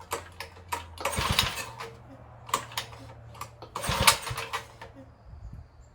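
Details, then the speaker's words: Tecumseh H35 engine on a Sears mini bike, after ignition timing reset, a little fuel in the tank, throttle unhooked: each pull gives a few uneven sputtering pops that never catch; compression about 70 psi. "I just want to hear it pop. Ooh, that popped."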